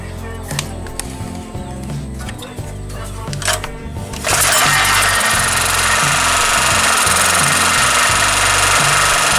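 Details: Daito 2.4 kVA portable 4-stroke generator, serviced for oil mixed with water, test-run with carburetor refitted: single cylinder thumps at a steady, even beat, then a louder constant roar without surging or stumbling; runs normally.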